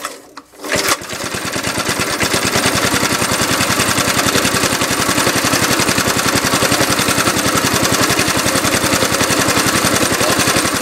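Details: 1971 Briggs & Stratton 2 HP engine on a Webb mower, cold start after new recoil rope and cleaned spark plug; catches and settles into a slow, loping putter at three or four beats a second, idle set too low.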